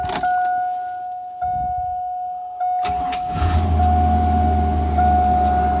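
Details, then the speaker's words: 2000 Chevrolet Silverado 1500 Z71 after fuel pump replacement; warning chime beeps, engine cranks, catches quickly and settles into even low idle with a little knocking, normal start and idle. "Look at that. She's a running. A little bit of knocking."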